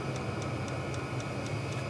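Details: Diesel case heater for a campervan running in a cold garage, blowing warm air; steady low blower rumble with a crisp regular tick about four times a second from the fuel pump: normal running.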